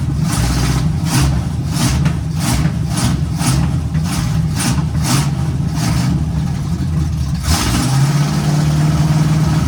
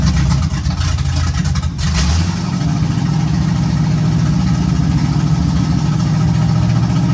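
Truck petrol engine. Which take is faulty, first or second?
first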